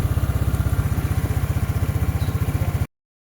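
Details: Wmoto Island 150 scooter, battery drained after its switch was left on all day, jump-started with a power bank: quick, even low putter of the small single at idle, steady beats, no misses, running cleanly until switched off.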